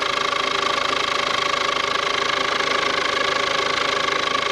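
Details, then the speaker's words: Ford Courier (Peugeot/Citroen engine) just started after a timing belt and water pump job; steady idle with a faint constant whirr at the front of the engine. Owner suspects fan belt or water pump, timing belt unmarked: abnormal noise at idle. "what that noise the fan belt hope it's not the timing belt I can't see any I can't see any marks on the timing belt so what the hell is that noise m could be the water pump"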